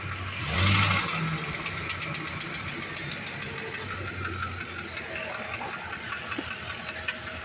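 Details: Ford Econoline E350 5.4: sharp regular ticking about four per second over a rough engine note, barely present without throttle and standing out when revved, audible from underneath; the knock's origin is unknown, and the noise persists after transmission checks.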